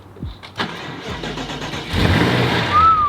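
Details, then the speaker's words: 2018 BMW M6 salvage project with front-end damage, fresh oil and jury-rigged fuse, side-dump exhaust: brief easy cranking, then it catches and settles into an even idle; started right up. "what the heck started right up but okay it started right up"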